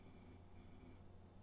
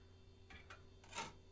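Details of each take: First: Vintage 1990s Packard Bell A940 desktop, thrift-store find upgraded to Windows 98, after boot: a quiet, steady low hum from the spinning hard drive with no ticking or clicking; the drive sounds normal after earlier awful noises. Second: Vintage 1990s Packard Bell A940-TWR desktop thrift store find, first power-up; faint irregular ticking and clicking over a low steady hum during boot; the old hard drive sounds unhealthy, and the machine doesn't post.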